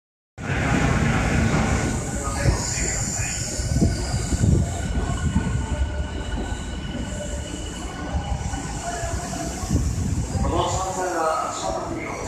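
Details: Tokyo Metro 13000 series train arriving at Naka-Meguro station: a heavy rumble of the train slowing, with thin high brake squeal holding over the rail noise.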